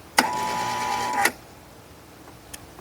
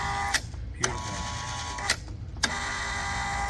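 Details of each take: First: Kustodian Plus lane machine squeegee up/down motor: a one-second strained hum, then a clunk, as the motor is energised but fails to turn. The enable relay clicks and the motor runs only intermittently; traced to a poorly patched, taped wire splice. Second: 115 V Kustodian Plus lane machine, test output 11, after replacing a bad relay and repairing a broken neutral (white) wire from the motor to the neutral block under the PLC: the squeegee motor hums in short runs, each ended by a click. It cycles up and down normally.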